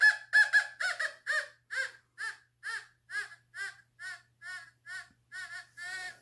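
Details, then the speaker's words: Fisher F44 metal detector air test, all metal mode, volume 10, not ground balanced, Victorian skirt weight, thought to be lead: loud warbling groan pulsing about twice a second, fading slightly, no trouble detecting; strong target tone. "next we're gonna go with a victorian skirt weight and i think this is made out of lead and it has no trouble with this i mean you can hear it groaning"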